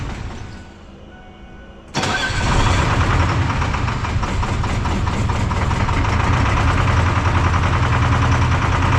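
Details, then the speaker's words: Detroit 4-53T turbo two-stroke diesel with 9G90 injectors, running on vegetable oil after low fuel pressure from loose suction hose clamp: lights off after about two seconds into loud, uneven, loping idle; running on three cylinders, injector number two dead. "is so it's only running on three cylinders and that's on vegetable oil it's injector number two"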